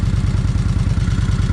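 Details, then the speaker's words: Kawasaki Vulcan 1600 V-twin, first start on a new battery: loping idle with light rapid ticking on each beat, rocker arms clacking; charging system then reads 14.7-14.9 V, good. "Okay, she's running. You can definitely hear them rock arms clacking."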